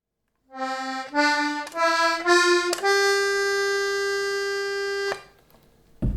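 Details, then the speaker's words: Accordion playing a few rising notes, then holding one long note that sounds weird because a reed is jammed (blocked); the reed is to be freed. "this sound sound familiar to you well that's the sound of a jammed Reed"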